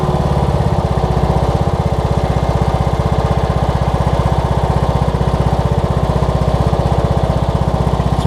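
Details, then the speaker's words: Cub Cadet riding mower Kohler Courage single-cylinder after carburetor kit replacing a leaky carb: firm, even thump at steady idle with no misses, rattles or hunting; running clean. "Best running Kohlers I think I've ever seen. My goodness. Kohler Courages anyways."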